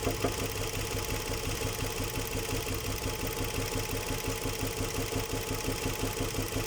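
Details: Nissan Murano Z50 at idle: regular light knock roughly three per second over the engine note; suspected connecting rod knock, unconfirmed.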